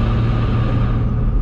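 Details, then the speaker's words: 750 whp single-turbo N54 BMW 135i with single-mass flywheel, just fitted solid transmission mounts, driving: heavy boomy drone swelling as throttle comes on, louder transmission noise and vibration, worse past about 3,000 rpm; loud drivetrain noise under throttle. "the vibration almost feels like a little too much, and also the noise of the transmission is way louder."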